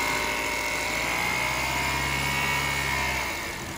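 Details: BMW 328ix engine at steady idle with a thin, constant high-pitched whine on top; source of the noise unclear.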